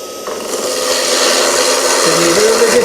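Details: Woodturning lathe roughing a blank, speed turned up a little higher: steady rasping cut with rising hiss, tone lifting and evening out after the speed increase, a clean smooth cut.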